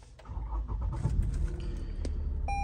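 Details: Lexus RX350 with a crank-no-start complaint, after reconnecting the flat battery and refitting the air-flow sensor box. The engine cranks briefly, catches cleanly and settles into a low, even idle with a dash chime: a healthy start.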